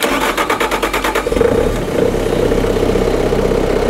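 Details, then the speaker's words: Bobcat 5600 Toolcat with a Kubota diesel and a starting problem: with 12 V sent straight to the fuel shutoff hold circuit during cranking, the starter cranks in even pulses, then the engine catches and idles steadily, proving the solenoid is good. "so now we can see the engine's running that pool circuit's holding because we sent 12 volts to it so we know our solenoid is good"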